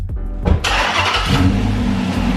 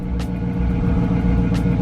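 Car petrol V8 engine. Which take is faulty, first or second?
second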